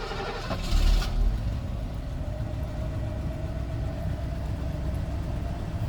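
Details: Mercedes W126 V8 on LPG with alpaca LPG install, started after curing misfire/backfires with more LPG; catches after brief crank, settles to steady even idle, no pops or stumbles; misfire fixed, normal idle.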